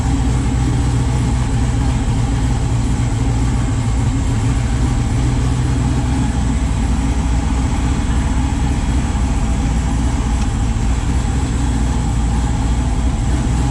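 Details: Chevy S10 with freshly rebuilt 408 stroker LS V8 (crank previously bent) at idle: deep, steady, settled rumble with no knocks, ticks or misses; good oil pressure, O2 sensor issue unresolved; sounds quiet and smooth, normal healthy idle.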